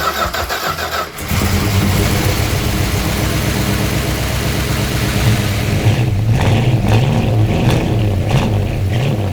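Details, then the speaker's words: 1972 Plymouth Road Runner 440 V8, four-speed, first start after mechanical rework: cranks, catches, lumpy idle with throttle blips and rapid puffing tick on one bank; massive exhaust leak on that side, cause not found, otherwise runs well. "aside from a massive exhaust leak on that side that I can't figure out it is good to go the thing actually runs pretty good"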